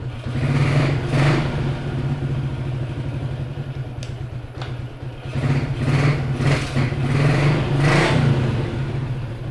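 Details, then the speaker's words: Yamaha Jupiter MX after repair of humming/whining engine noise with dimming headlight, linked to magnet rubbing the pulser: smooth steady single-cylinder idle with clean blips, no whistle or whine, headlight bright; normal idle. "Lampunya udah terang kemudian mesin juga udah halus gak ada bunyi-bunyi itu ya"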